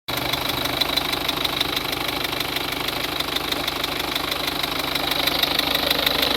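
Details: 2003 Peugeot 206 1.4 HDi 70hp diesel at idle: crisp, regular tic-tic-tic about three times a second, revs fine. Owner suspected the injector seals, which were confirmed leaking. After replacing them the tick was gone and the engine much quieter.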